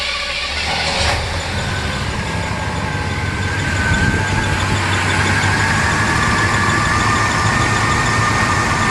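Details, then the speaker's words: 1977 Pontiac Can Am V8, unrun for over 20 years, now warmed up after a new water pump, alternator and belts, with turbo mufflers: uneven, lumpy idle with slight stumbles; owner suspects remaining vacuum leaks. "A little bit rough, but I think I've got a few more vacuum leaks that I got to take care of."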